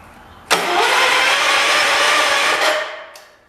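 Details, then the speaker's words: 1985 John Deere 210 lawn tractor, the 200th built, parked about 20 years: about two seconds of strong even starter cranking without firing, once the shifter was fully in position to satisfy the safety switch. Spark is doubted. "okay so that was my problem i had the shifter a little bit over i was wondering if i had a seat safety or not i don't think it does so the engine cranks that's good"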